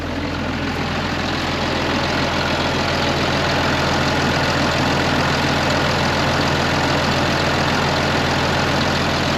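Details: 2005 Ram 2500 diesel idling after the FASS lift pump and fuel line replacement, run to clear up the engine: a steady, even clatter and constant low drone with no misses or knocks. Smooth, a normal idle.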